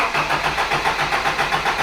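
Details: Toyota Hilux with points ignition, still fitted with suspected bad condenser: starter churns steadily at about seven beats a second, full throttle, but never catches; hard cranking from weak spark, fixed by replacing the condenser.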